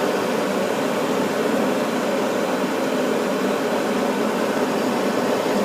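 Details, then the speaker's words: Furnace burners lighting after the bad flame sensor was cleaned with steel wool and reinstalled: a steady, even rushing roar with no flutter, popping or cutting out; normal burner operation. "Hopefully our burners stay on. I see a glow. Okay, burners are on."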